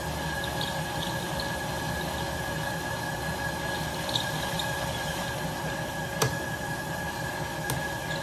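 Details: 1967 Logan model 1875 lathe on a Phase-a-matic static single-to-three-phase converter at 240 V, auto-feed test with the lever forward and the lead screw engaged: a smooth steady hum with a constant high tone, no knocks or grinding. Normal running.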